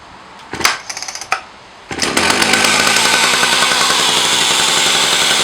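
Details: Husqvarna 380 S 77cc two-stroke chainsaw, 170 PSI compression, fitted with a Husqvarna 65 ignition; started on choke after a few cord pulls, holds a fast, steady, buzzing high idle; healthy, high-speed screw to be adjusted.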